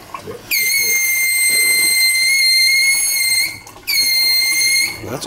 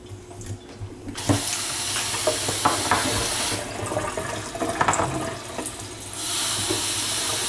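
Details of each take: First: Kitchen faucet, hot side only, piercing steady high-pitched whistle starting abruptly, holding about three seconds, cutting out and returning; faucet later replaced. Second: Kitchen faucet after the hot side's whistle, likely from sediment; plain rushing water with no whistle, hot tap runs quietly and normally.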